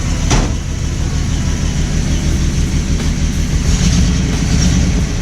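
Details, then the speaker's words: Engine after the idle was readjusted following an ignition-timing job: low, steady idle at about 800 rpm with even firing and no misses, knocks or hunting; idles smoothly. "It's got like 800 now. Looks good. Now it sounds good."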